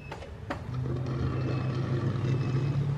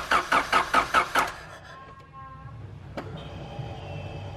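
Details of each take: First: 1991 Honda CRX Si with JDM B16A swap, no-start: starter cranks steadily at about four beats a second with no firing; cranks but won't start, apparently out of fuel. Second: 1991 Honda CRX Si with a JDM B16A swap, no-start fixed once proper fuel pressure and fuel were present: rhythmic cranking at about two pulses a second, a pause, then it cranks again and fires; a misfire still remains.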